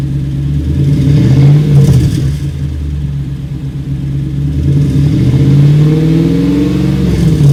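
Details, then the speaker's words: 2002 Toyota Tundra 2UZ-FE V8 after fixing a cylinder 8 misfire (P0308) with new coil packs and spark plugs, first start: steady, even V8 drone with mild rev swells, no stumble or skipped beats; firing cleanly on all cylinders. "okay cool it's been a few days and the truck's running great um it solved the problem and I've had no issues"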